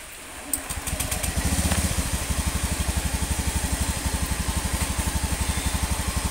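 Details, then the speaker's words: Honda Beat ESP New (K44, type K81) scooter idling after a piston replacement and crankcase cleaning; it had used up its oil within a week of an oil change with no white exhaust smoke. It starts and settles into a smooth, even, healthy idle. "Ini suaranya sudah halus, berbeda dengan kemarin atau video sebelumnya mengenai Beat ESP New K44 tipe K81"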